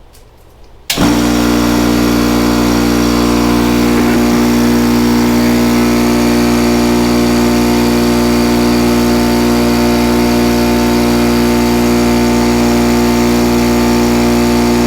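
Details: Craftsman air compressor after switch replacement, cover open: loud start, then a steady, even motor drone with constant pump chug; runs smoothly with no knocking or squeal.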